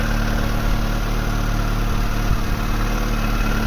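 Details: Mk3 Vauxhall Astra 1.6 LS saloon, first start after sitting over 10 years: low even idle with steady hum, no knocks or misses; normal idle.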